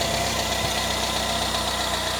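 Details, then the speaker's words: Citroën C25 camper engine restarted with more choke after corrected plug leads: smooth, even idle, steady low hum, no misses. The misfire was traced to ignition components; now running cleanly. "it was definitely running a lot better than before let's give it a little bit more shoke restart listen to this machine pro it sounds"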